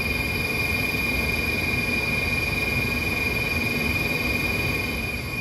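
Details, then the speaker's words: Old rooftop HVAC heating unit after ignition spark control module replacement, burners just lit: steady high-pitched whine over a rough gritty rush while running, not heard earlier; component sounds unhealthy, cause unknown. "i'm gonna have to clean the flame sensor this guy doesn't sound that great either hopefully that goes away i didn't hear that earlier"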